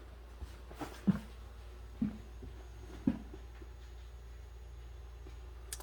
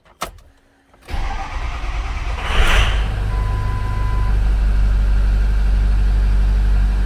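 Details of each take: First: 2006 Ford F-250 6.0 diesel with code P0404 from a carbon-stuck EGR valve, key on with engine off, quiet cab: sharp single clicks about once a second. This is the normal self-test cycling of the injectors and solenoids. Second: 2006 Ford F-250 6.0 Power Stroke V8 diesel, 347,000 km, check engine light, TBC fault, P0404 stuck EGR; short crank then lumpy uneven cold-start idle with blue-white smoke, suspected one or more glow plugs not working.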